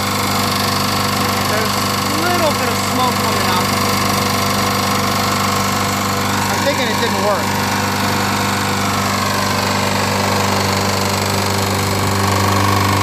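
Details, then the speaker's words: Free-pickup push lawnmower, run after a head gasket was made from Permatex red RTV. Loud, steady running with uneven light clicking about twice a second; some smoke, no oil leak. Source unknown; the RTV head gasket is suspected of not sealing. "it's making this clicking sound so I can't figure out what that could be"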